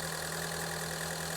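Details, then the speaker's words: Ford Escape with intermittent check engine light and cylinder 1 misfire, after spark plug replacement and codes cleared: smooth even idle with a steady low hum, no missed beats; fixed, it just needed spark plugs. "So, let's look at our misfire data to see what we got. Yeah, I like how this engine sounds. This is fixed."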